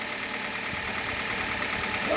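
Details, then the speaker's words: Hyundai Solaris cold idle warming up, after about 1000 km on green 5W30 oil that owner says reduced engine noises: smooth, even hum with no tapping or knock. Owner is fully satisfied; healthy. "такая работа двигателя меня полностью устраивает пускай мотор поработает прогреется"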